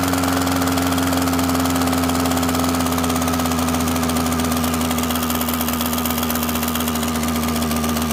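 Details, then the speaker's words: Echo PB-265LN backpack blower, two-stroke, spark tester inline: starts and runs smooth at high revs, then the spark weakens and the tone sags and roughens as it runs rough; failing ignition coil causing misfire. "so what happens is you saw that spark the frame weight rate was a little tough picking it up but you saw it was running fine running smooth and then when I started running rough this spark here you can watch it just drop and drop and drop and drop in until it was ju"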